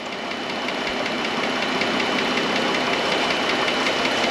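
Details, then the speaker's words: 2013 Chrysler Town and Country with the Pentastar 3.6 at idle. A quick, even metallic tick of roughly three per second from the top end, louder toward the front of the valve cover, present for about five months. A failing lifter was found. "what i think we're looking at is a lifter but uh i have found the culprit guys i've been living with this tic tac rattling for probably about five months"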